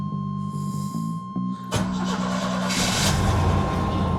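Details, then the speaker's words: 1998 Chevy C1500 4.3 L V6, after power steering pump replacement, sat over a week, ignition system mostly renewed: a few quick cranks, catches at once, even idle; normal cold start. "Pretty good start considering it sat for over a week. I did replace almost everything in the ignition system."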